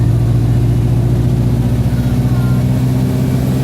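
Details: Arriva North East Streetlite bus NK14 GFZ (fleet 1551, "sneezing Streetlite") on Sapphire 5 route, climbing Ormesby bank: diesel labours heavily, deep steady drone never building revs, in limp mode with loss of power; cause unconfirmed.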